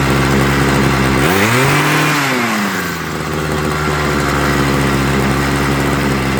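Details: Homelite 26 cc hedge trimmer after carburetor and fuel line service, warmed up on choke then tuned: the two-stroke blips up and holds an even, steady high idle without surging or hunting, so the mixture now sounds right.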